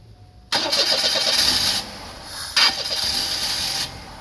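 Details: Starter grinds in short bursts, the engine catches briefly, stumbles and dies, then cranks again; hard starting, cause not identified.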